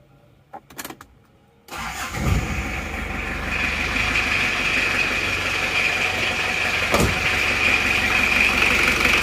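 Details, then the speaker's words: Isuzu Panther diesel after top-end engine repair, freshly reassembled with coolant filled, idling to warm up: quick crank, immediate catch, then an even, crisp diesel clatter with steady rhythm and no misses; smooth, normal idle. "enak banget ya renyah seperti pantai 23 itu suaranya seperti ini mesinnya halus banget dan rata"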